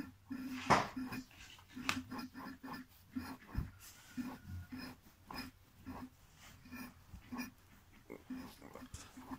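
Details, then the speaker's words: Polish P-100 diaphragm pump for a 300–350 L sprayer, after replacing a damaged valve and refilling the oil: soft, regular grunting pulses about twice a second with the shaft heard moving; output a bit weak, but normal operation with new valves. "Вы даже можете услышать, как вал движется взад и вперед."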